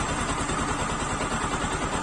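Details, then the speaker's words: Bajaj Pulsar 135 LS after full engine rebuild, just started: even, regular putter at idle with steady firing and no knocks, rattles or hunting; healthy engine, normal idle. "देख पा रहे हो friends engine का जो sound आया ना काफी अच्छा।"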